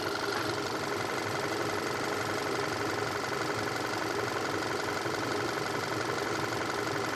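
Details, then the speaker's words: 2014 Volkswagen Tiguan 2.0 TSI idling during a coolant drain, fill and bleed. It holds an even petrol idle with a light, steady tick and no misses; the cooling fans come on and coolant flows steadily. "So right now the vehicle is running."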